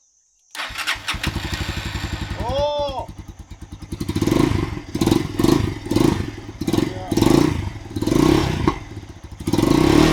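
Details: Motorcycle that only clicked and would not start, after repair: engine fires straight away, settles into an even idle, takes several clean throttle blips and drops back smoothly; starts and runs fine.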